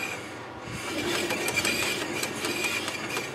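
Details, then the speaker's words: Chevy Epica right front wheel spun by hand gives faint, uneven clicks over a dull rumble; owner suspects worn wheel bearings, not confirmed. "all the right front sorry and kind of hear like bearings clicking around in there"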